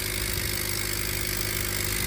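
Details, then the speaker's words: 2025 Honda Accord being rebuilt after crash damage, first start: steady idle with a harsh hissy rasp, very loud; air seen pushing out where it should go down, possibly an exhaust leak. "Start it up. You guys can hear, it sounds very loud. Very, very loud. As if there's like a leak somewhere, like like an exhaust leak or something somewhere"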